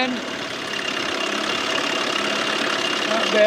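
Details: 1987 Johnson 6 hp outboard under way on the water after carburetor swapped to fix bogging; steady buzzy drone holds without sagging or stumbling; pulling cleanly.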